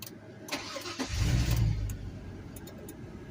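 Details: 2000 GMC Yukon after push-button start installation, started with foot on brake: short crank, engine catches at once, flares briefly and settles into smooth, even idle; normal start.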